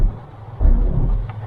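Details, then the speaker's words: Car rear brakes: single heavy low clunk when shifting into reverse with brake pedal pressed, metal clanking only at full stop; rear brake noise addressed by cleaning and pad replacement. "for example our gear is on Neutral when I shift to Drive it will make a clanking noise or in Reverse because I am stepping on the brake pedal"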